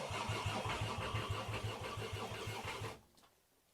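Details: Mk2 VW GTI with five-cylinder swap, first start attempt on returned swap harness and ECU, fuel pump heard priming, throttle pedal unconnected: steady cranking about three turns a second with no firing.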